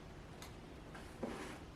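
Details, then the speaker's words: Homemade ESP32 remote-controlled trolling motor system: two soft sharp clicks about a second apart as the power relay pulls in at power-on and releases at power-off, normal relay switching. "I can hear the power relay starting. I can hear it turning off."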